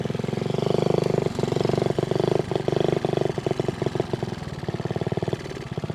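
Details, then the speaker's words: Honda Z50A mini trail bike, first ride after about 30 years stored, running with no air box: a small single putts at low idle and stumbles, won't come off idle when throttled; rider suspects too lean. "idle and it won't come off idle I won't come off idle maybe that maybe we're too lean let's try that"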